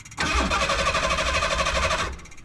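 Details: Yard-running Ford Bronco II with LeSabre radiator, battery thought okay: about two seconds of steady starter cranking with no cylinder ever firing or catching; cranks but won't start, a loose part later found under the hood.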